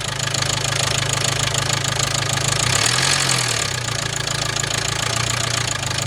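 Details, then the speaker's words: High-mileage (120,000 miles) 2016 Range Rover Evoque 2.0 Ingenium diesel: loud, busy metallic rattle over a rough idle, about three clatters a second, that appeared suddenly with hard starting, near-stalling and the engine management light on; owner suspects the timing chain. "Now, when I saw the car, it sounded to me like we do have a timing chain issue. Very rattly, very noisy, and like I said, completely just came out of nowhere."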